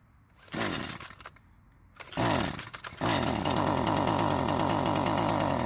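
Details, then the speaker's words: Husqvarna string trimmer with aftermarket carburetor, fuel line clamped against air leak, mixture screws each turned another quarter turn counterclockwise: a couple of stumbling starts die, then ragged uneven running; still poorly tuned despite further adjustments. "so before I start to get too frustrated tuning this car but I'm gonna let you know what happened for the next 10 or 20 minutes I make more adjustments to it and things still don't get any better"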